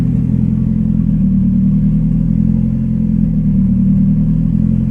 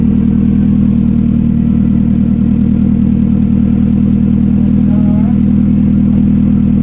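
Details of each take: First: Turbo Tiburon first start after sitting a while, with a new Kaaz LSD and Action clutch installed, idle screw set quickly, spring not yet fitted, not yet retuned. Steady, even drone at about three and a half beats a second; runs clean but idles high. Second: Turbo Hyundai Tiburon on MegaSquirt with new fuel pressure regulator, first start after sitting a while, not yet retuned; fast, even injector ticking about three to four a second over a steady idle, normal for a healthy engine.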